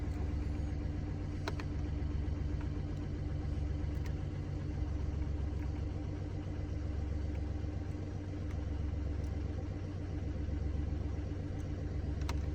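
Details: Mini Cooper D three-cylinder diesel idling with low rumble and uneven rapid rattling judder; mechanic diagnosed broken, worn dual mass flywheel carrying clutch springs; hissing and juddering after clutch lift reported.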